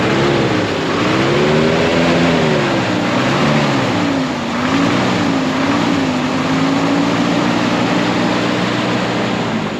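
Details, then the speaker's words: 1974 Ford F600 gasoline dump truck after sitting two years on two-year-old gas, smokes a little; engine climbs and falls smoothly through revs with steady even drone, no knocks, misfires or rattles: normal engine revving. "there's some question about the brakes right now yeah 2-year-old gas but it sounds [Music] good"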